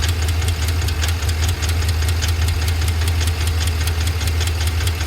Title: 7.3L Godzilla lifter failure - ticking and knocking noise